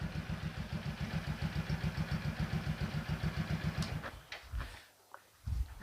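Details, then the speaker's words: Yamaha XMAX 300 scooter after a home repair of a hard-start, stumbling, no-idle fault: revs cleanly, then an even, steady putter of about three and a half beats a second with no misses or knocks, normal idle. "เบิ้ลได้ปกติเดินเบาปกติ[เพลง]งับเดินเบาปกติเลยนะครับ"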